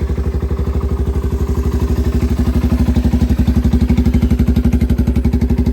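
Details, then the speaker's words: 1985 Yamaha BW200 Big Wheel, freshly restored, started essentially cold straight from the workshop with no throttle; starts right up into steady, even single-cylinder thumping about four beats a second, low clean tone: healthy normal cold idle. "Starts right up, don't even have to give it any throttle. And that's pretty much cold."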